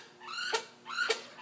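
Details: Laptop (owner suspects HDD, possibly an operating system problem) emits a high upward-sweeping screech repeating about twice a second, like a pterodactyl; squealing noise, cause not confirmed.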